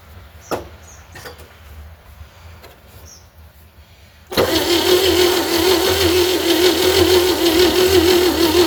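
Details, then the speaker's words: 1960 Chevy C10 235 six after sitting 40 years, old plug wires and fresh battery, good spark: steady starter whir about three per second, never catches, cranking slow; owner suspects lost compression or dirty carburetor; crank no start. "I got spark. I should be getting spark to the... Yep. Unless I lost compression."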